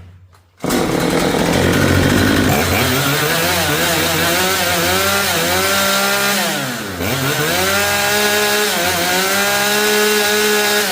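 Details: Chainsaw that wouldn't restart after stopping until the spark plug was cleaned, carburettor retuned (H screw 3 turns out, L screw 2, max about 11,500–11,700 rpm): it revs clean, holds a high steady scream, dips briefly and picks back up; running healthy.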